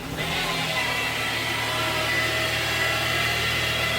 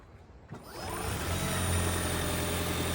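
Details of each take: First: 2017 Ford Fusion Hybrid with the HF35 transmission, 103,000 miles, at startup: a steady high whine over the running noise that shifts pitch near the end. Diagnosed as a failed stator bearing; the transmission is to be replaced. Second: 2017 Ford Fusion Hybrid, 103,000 miles, HF35 transmission, after replacement for a failed stator bearing, warmed up: engine fires and settles into a steady, even hum with no squeal or whine; sounds healthy.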